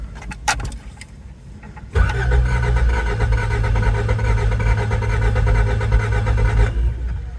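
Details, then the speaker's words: 1987 Toyota MR2, long-sitting project car, on a makeshift battery with a poor terminal: starter cranks steadily about five seconds with an even churning rhythm but never catches; crank-no-start. Had started before; owner wonders about oil pressure or low fuel, unconfirmed. "I'm extremely disheartened. You know, it didn't start. We had it starting before and now it doesn't."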